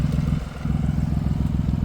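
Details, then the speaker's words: BMW i8 after exhaust flex-pipe (bellows) and crack repair: even deep exhaust pulsing at idle with a quick throttle blip, vibration gone, no rattle or buzz; normal exhaust. "떨림이 없어졌네. 조용해졌다. 와 아예 없다. 응. 아 깔끔하다."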